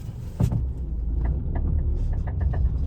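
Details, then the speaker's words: Tata Tiago at 28,000 km: sharp clicks about three or four a second, "kada kada", speeding up with roll speed on full steering lock both left and right, over the engine note; worn drive shaft CV joint, reconditioning to follow. "So, இந்த கிலோமீட்டர்ல இந்த sound வரக்கூடாது. ஆனா வந்துருக்கு. So இப்ப நம்ம attend பண்ண போறோம். இப்ப பாருங்க இந்த இடம் நல்லா கன்வென்ட்டா இருக்கு ஃப்ரீயா இருக்கு. ஓகே லெஃப்ட் உடைச்சாலும் கட கட நடந்துது."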